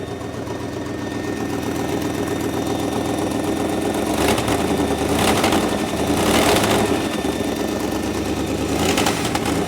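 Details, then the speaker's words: 1958 Mercury Montclair Turnpike Cruiser, unrun since about 1994, first start with oil pressure but no coolant yet: steady idle with a few light throttle blips and no knocks or misses; running well. "oh yeah see all your rust and spit out here yep running good"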